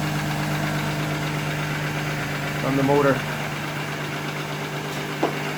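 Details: 1997 VW Eurovan VR6 12V first start after timing chain replacement with the engine in the van: steady, smooth idle hum, even note, no ticking or rattle; engine normal (a fuel filter hose leak was found afterward).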